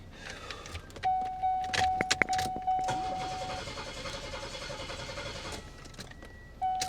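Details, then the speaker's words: 1995 Buick Park Avenue Ultra 3.8 supercharged, stalled while driving: chime and key clicks, then a few seconds of even cranking with no firing; no spark, no injector pulse, no tach signal. "I still have no spark and no injector pulse. Yet I do have power down at that."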